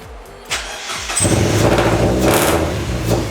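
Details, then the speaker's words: Mazda Miata after sitting eight months, after replacing a connector: short crank, then lumpy uneven running with a wavering idle that never settles; owners suspect idle control, possibly old gas; rough running after start. "sounds angry I feel like it's that idle control"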